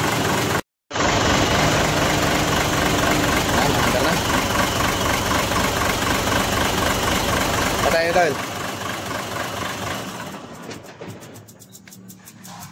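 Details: 6M70 diesel with a hard-starting injector problem, after injector work: catches and settles into a steady, even idle at about four beats a second, runs clean, then winds down; normal start and idle.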